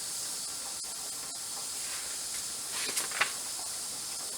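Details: Presto 23-quart pressure canner with regulator on, safety valve and air vent up, being tested toward about 12 psi after suspected seal/ring trouble: constant high, even hiss at the weight, no sputtering; holding pressure properly.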